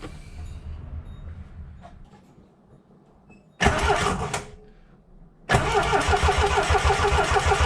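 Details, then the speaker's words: 1977 Triumph TR7 cranking during a spark check: a short burst, then the starter churns steadily about three times a second and never catches. The distributor was gummy with pitted points. "the main problem was in the distributor. It was just all it was all gummy and the points were um were pitted."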